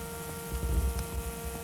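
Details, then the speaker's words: Zenith car radio, vibrator power supply converted from 6 to 12 volts, warmed up, running 12.3 V at about 4.1 A: steady even buzz with fixed low hum, no crackle or stutter; healthy vibrator supply. "internally the power supply which you can hear buzzing I have it warmed up at the moment"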